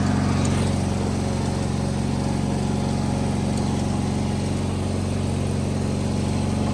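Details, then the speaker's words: Wheel Horse 520H hydrostatic garden tractor, revived and running on its own gas tank during a test drive; small single holds an even, steady drone at constant speed with no misses or surging, normal running. "all right test drive successful I mean it runs great the hydrostatic rear end's working perfect"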